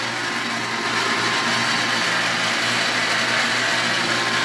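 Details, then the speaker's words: 1.5 hp water pump, before repair, with little pressure; motor and capacitor are fine and it starts correctly: steady, even hiss and whir with no change in load, spinning without pulling water; it won't prime because the check valve is clogged. "notice that it has little pressure, observe the sound that the bonda has , let's show you where the problem is with the bonda, what we have here. It is not a capacitor, it is not the motor because the motor is starting"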